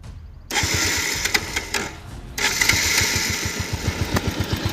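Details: Bajaj Pulsar 150 single-cylinder after cylinder-head repair (earlier tractor-like noise blamed on a local mechanic's fraud): cranks, catches and settles into an even idle thump with a faint light tick.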